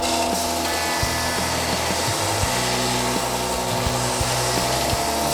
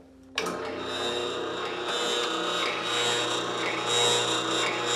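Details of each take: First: New Ridgid R4840 oscillating belt sander with 80-grit discs sanding sapele wood and MDF; even motor hum with short scraping bursts as the wood is pressed on, cutting cleanly with no buzz or rattle. Normal operation. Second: New Ridgid R4840 oscillating belt/spindle sander, spindle installed, starts and runs with a harsh rattly buzz over motor hum out of the box; cause was a loose table lock bolt.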